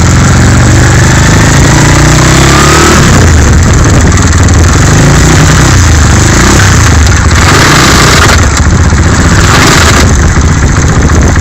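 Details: Skyteam 125cc single: loud rough, uneven rasp when shifting into 2nd gear only, heard as the engine revs hard around the gear change; gearbox noise, cause unclear.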